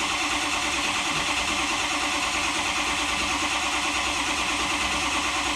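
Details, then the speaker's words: 2005 Ford F-350 6.0L diesel that died while driving: starter churns about three beats a second with no firing; ICP only about 103 psi against 1500 desired with IPR maxed, high-pressure oil pump suspected failed. "we're not getting much so that tells me my pump is probably died"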